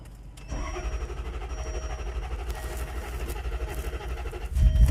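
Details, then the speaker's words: 2007 Range Rover HSE 4.4L with a start-and-stall fault, codes U0151/U0452, no injector pulse; airbag module power wire at 0.6 V. After the repair the engine cranks briefly, catches cleanly and idles steadily on restart. Normal start and idle. "So now if we shut it off, start it back up. Look at that. Starts right up."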